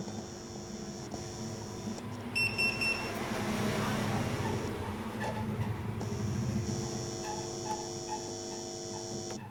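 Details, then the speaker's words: Amplifier board powered with no input connected, speaker output on each channel in turn: a steady low hum with a faint high whine, the humming noise the board was brought in to have fixed. "இப்போ இதுக்கு எந்த ஒரு இன்புட்டுமே கொடுக்கல. ஒரு சேனலில் நான் உங்களுக்கு speaker output கொடுக்குறேன். பார்த்திங்கன்னா சும்மாவே பார்த்திங்கன்னா லைட்டாக ஒரு நாய்ஸ் வருது."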